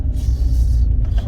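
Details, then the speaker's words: Old Rover 45 (MG badge) driven over speed bumps after motorway driving. Only a steady low road rumble with no clunks; no suspension clonk, engine sounds sweet. "No clonk there. Listen to the engine. Engine sounds sweet. No clonk there."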